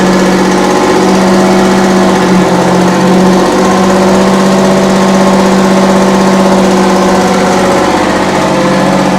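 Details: 60-year-old US-imported Massey Ferguson 98 tractor with factory Detroit Diesel GM 3-71 two-stroke, after significant restoration: loud, even drone with steady pulse, no knocking or misses; normal running.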